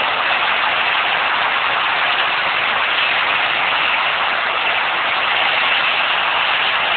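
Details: Nissan RB20DET idling with a steady, coarse grinding rasp; owner thinks it comes from an external rotating component, not the engine block; the sound disappeared two hours later. Cause unconfirmed.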